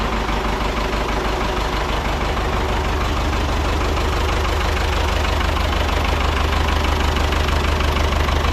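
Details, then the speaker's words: Ford 6600 diesel tractor, sitting about 8 years, just started after starting-fluid spray bursts while cranking; low on antifreeze so run briefly, some smoke. Steady low diesel clatter, about three beats a second, no misses: normal idle. "What? He's running. Now we know that we're low on antifreeze, so we're not going to run it long. Starter did work."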